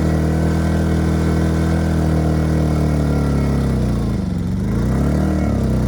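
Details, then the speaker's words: Ryobi RYI2300 inverter generator, 15 months old, replacement carb still running lean: drone sags and wavers under heavy load, hunts and claws back, stalling under heavy load after about a minute; fuel starvation, owner suspects clogged fuel filter or tank vent. "all right so we just stalled under a heavy load after about running for a minute"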